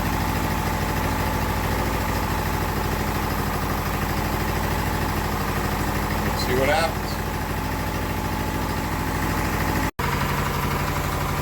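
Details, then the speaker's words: Well-used Briggs single-cylinder test engine, smoking heavily: steady but uneven, weak idle beat; heavy cylinder damage, virtually no compression, oil passing worn piston rings. "there's virtually no compression left in this thing at all it's just there's like nothing so we're getting way too much oil pass the Rings"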